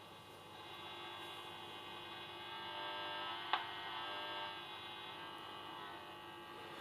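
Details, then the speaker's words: 1930 tube radio, first run directly on mains with a 5 m ceiling antenna wire, medium wave band at full volume around noon; steady low buzzing hum with varying static but no station received, considered a good sign. "là j'ai rien de ce côté-là mais on voit que j'ai des variations j'ai des variations de parasit donc c'est plutôt bon signe"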